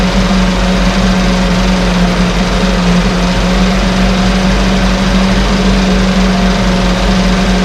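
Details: 1968 Evinrude Fastwin outboard, bought and only set in a test tank with no repairs, out of gear with no load: steady, even buzz at a constant pitch with no misses or surging; no cold-start cough, runs better each start with Sea Foam in the fuel. Normal idle.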